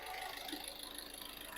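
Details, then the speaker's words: 2013 VW Caddy diesel with low fuel pressure (P0087), after fuel filter swap, dropped to idle after holding about 2000 rpm for 10 seconds: quiet, even idle clatter, steady with no hunting or stumbling; settled idle. "Yeah, now I am let it idle. Now car idle."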